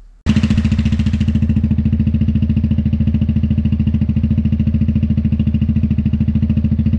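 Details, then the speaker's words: Newly mounted Dominator exhaust with a remade medium baffle on an MP3 500, run before a decibel check: loud, crisp, even idle pulses at about 3.5 per second with no metallic rattle inside. Normal exhaust note. "Il fait du bruit, il fait du bruit. Allez, on va regarder un peu ce que ça donne au niveau décibels."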